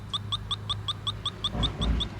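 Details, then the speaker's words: 1988 Chevy Suburban AC revived after years dormant: refrigerant leak detector gives fast, steady high-pitched chirping, about five beeps a second, with handling noise and an air compressor in the background; a big leak. "the way this works is it senses the refrigerant molecules um and you'll hear that that whooping needs recalibrated let's hit the reset button yes we do have a really big leak somewhere"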